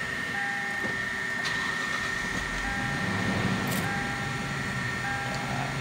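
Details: 2013 Lexus after camshaft timing sprocket replacement, restarted after running about 5 minutes in the morning: steady, even idle, no rattle or ticking, occasional chime beeping; no morning rattle, engine sounds healthy.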